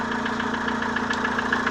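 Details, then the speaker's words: Renault Velsatis 2.2 dCi diesel, cold start at +18°C, oil level normal: sharp even tapping about seven ticks a second from valve gear, hydraulic lifters knocking loudly; to be disassembled and cleaned. "Слышно, как они сильно стучат."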